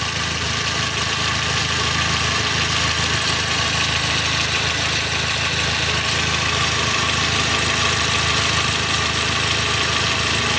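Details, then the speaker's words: Toyota Avanza Dual VVT-i idling, mechanic's stethoscope on alternator hears an even whir with faint hiss, judged in good condition while hunting a rough noise at the engine front belt pulleys. "Ini bagian alternator. Kita cek ini kondisinya baik ini."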